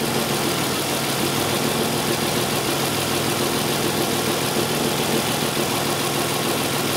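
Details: 2002 Isuzu Rodeo 3.2 L with severe misfire, reversed O2 sensor connectors and fuel-contaminated oil: steady, even idle with smooth unchanging hum, no misses or knocks; running cleanly while fuel trims balance out.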